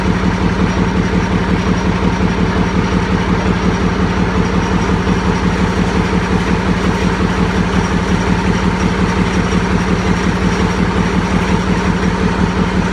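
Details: YaMZ-236 V6 diesel after a full rebuild, first start on an improvised test stand: even, steady idle with a regular firing beat and no knocks or misses; the rebuilt engine runs healthy.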